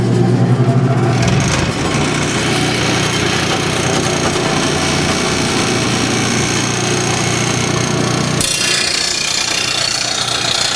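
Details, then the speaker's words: Steady, even grinding hiss over motor hum as a rotary mower blade is sharpened on a bench-top stone grinder with the stone turning upward, so the blade isn't pulled in; normal grinding set only by applied pressure. "it's much easier grinding to grind with the stone coming up this way because I'm not getting pulled in so it's truly just how much ever pressure I applied to the blade into the grinding wheel that is what is experienced in the grinding not the stone catching"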